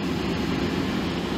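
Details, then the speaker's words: Greenheck make-up air unit in 95-plus-year-old building, fan running at 80 Hz during fire alarm shutdown test: damper shuts and the big fan's steady low roar eases off smoothly with no rattles; normal spin-down. "yep there it goes you can hear the fan dropping good deal"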